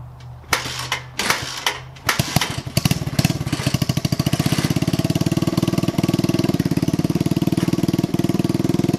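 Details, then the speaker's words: Yerf Dog 150cc shifter kart on test drive, temporary oversized wheels: catches after coughs, runs fast and ragged with thin popping exhaust; running lean. "you can really hear how it's running lean"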